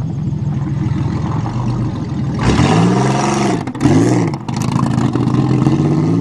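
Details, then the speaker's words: 1990 Celebrity wagon, not driven for a long time and out of gas: the engine pulls smoothly up through the revs with an even firing note and no knocks or misses. Sounds healthy. "Other than out of gas, the Celebrity seems to be working pretty good. Sounds good."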